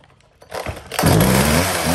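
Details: Husqvarna 36 chainsaw, two-stroke, test start for sale: a pull or two on the cord, then it fires and holds a crisp, steady buzzing idle; starts cleanly and runs healthy.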